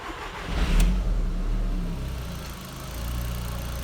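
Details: Audi TT 1.8T that kept dying, running on a makeshift fuel pump setup: catches and runs with speed rising and sagging unevenly, still ramping but no longer dying; owner suspects the fuel pump.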